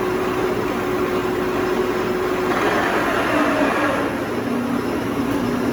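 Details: 2000 Toshiba BTD-110.R16 CNC horizontal boring mill, CAT 50 tooling, spindle running: even mechanical hum with clear steady whine shifting pitch slightly; spindle turns smoothly, no grinding or knocking.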